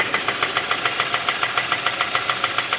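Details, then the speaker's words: 2015 Kia Optima 2.4 with code P1326, a flashing check-engine light, power loss and oil leaks: sharp, regular knock about three or four times a second at idle that grows louder; bottom-end bearing knock, risk of engine seizure. "Deja tú te arriesgas a que se te amarre el motor ese es el problema ese es el riesgo hoy espero lo aprecien se escucha cada vez más fuerte"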